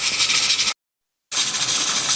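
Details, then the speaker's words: Manual stovetop pressure cooker cooking githeri (beans and maize) with the heat turned down; the weight knob keeps turning with a steady high hiss and a brief break: steady steam hiss at normal cooking pressure. "There's already enough pressure in the pot to cook the food. As you can see, it's still turning, meaning there's enough pressure in there. So I'll wait for it to cook some more."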